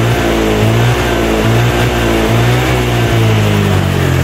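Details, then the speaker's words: Older Honda Vario scooter at high speed on a test ride: held high revs keep dropping out in short jerks, tone breaking up; owner suspects the ignition system, charging and ignition to be checked; stutter at high rpm. "teman-teman bisa dengar ya suaranya nendut-endutan Suaranya tersendat begitu ya"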